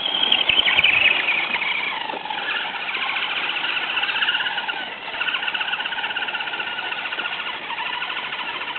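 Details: FTX Kanyon RC truck with stock 60T motor swapped for 35T and smaller pinion, correct gear mesh, freshly greased: loud high-pitched squeal wavering with motor speed at low revs, quiet at higher revs; cause unknown; low-speed squeal.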